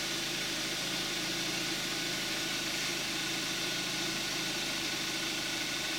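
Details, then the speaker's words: 2014 Kia Forte5 2.0 GDI, 41,000 miles, Amsoil 5W-30 synthetic, cold start, hood closed: steady, even idle with light fast injector tick over a smooth hum; healthy. "This is going to be the cold start of a 2014 Kia Forte5 2.0 GDI with 5W-30 synthetic oil and 41,000 miles on the engine."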